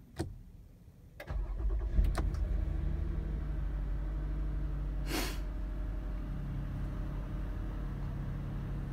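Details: 2017 Toyota Sienna: several clicks, short crank, then engine catches and settles to steady idle; in mornings it would not start unless push start button held; hard start, cause unknown.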